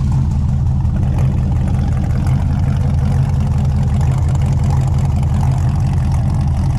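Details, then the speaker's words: Honda S2000 startup from previous owner's build: deep, steady exhaust rumble settling to an even 650–700 rpm idle with no misses; healthy warm idle. "you'll hear it's just starting to come down now it's idling around 650 700 sounds pretty good"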